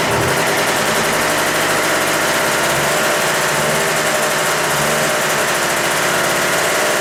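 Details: Bike with bad carburettor floats set high to stop flooding: choppy thumping with irregular popping and an uneven beat. Running lean, so the least throttle makes it stop running.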